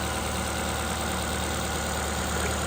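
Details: Ford engine idling after its blocked coolant bleed-off pipe was replaced, with coolant now flowing through the pipe: steady, even idle with a smooth constant hum and no knocks or misses; normal idle.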